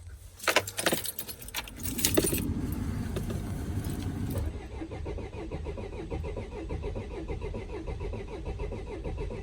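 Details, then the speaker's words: Vauxhall Vivaro/Renault Trafic 1.9 dCi diesel after a runaway, air intake off in case the intercooler still holds oil: keys rattle, then the starter spins the engine with an even churning beat but it never fires. Cranks but no start. "well that's not starting but it is turning over so let's try a bit of sniff"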